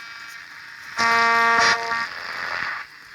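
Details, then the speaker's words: 1958 Perdio PR7 Park Lane transistor radio under repair, long wave suspected not working, distressed ceramic capacitors seen: harsh buzz swells about a second then fades to hiss, no station, possibly trying to receive Radio 4. Cause suspected, not confirmed. "Unless Radio 4 is being drowned out in here, which is entirely possible. Certainly sounds like it's trying."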